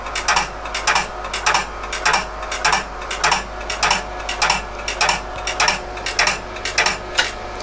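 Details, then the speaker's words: PDP-11/34A vintage computer under repair with its RX02 floppy drive powered: sharp mechanical clacks repeat evenly, under two per second, over the drive hum and fan noise; the drive keeps seeking as it constantly tries to boot from floppy. "so as you hear it's trying to constantly boot from floppy drive"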